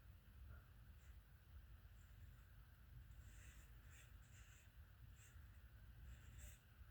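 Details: 1996 Harbor Breeze Marco Island 52-inch ceiling fan, hugger mounted: low steady hum with faint, irregular high chirps about every second; worn, bad fan bearings.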